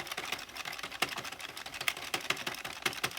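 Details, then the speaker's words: New, two-week-old Addi knitting machine, hand-cranked, gives light, rapid plastic clicking and ticking and slows when hitting the three black needles; it is just the row counter counting, normal. "nothing to freak out like i freaked out it's just counting the row"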